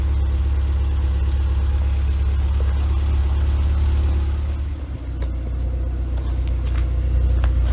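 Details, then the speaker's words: 1995 Vauxhall Cavalier MK3 X20XEV, warm start, crankshaft position sensor replaced about two years and 5,000 miles earlier: deep steady low idle rumble, brief dip then settling evenly; normal idle. "there you go starts up fine um as i say it's been running pretty well"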